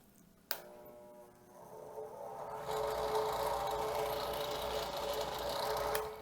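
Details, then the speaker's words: Drill press motor switched on. The click brings only a low steady hum until it is given a twist, then it spins up to a full run, every time. Failed start capacitor in the housing on the back of the motor. "I have a drill press here, and when you turn it on, it just hums. But something curious happens if you give it a little twist, then it'll continue to run. And it'll do that every time."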